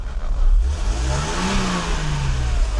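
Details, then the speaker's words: Mercedes W126 300SEL M103 petrol engine after fuel distributor repair, revving up smoothly and settling back, pulling cleanly with no knocks or misses; the engine has no issues. "this M103 engine has no issues. Running 500,000 kilometers is not a problem."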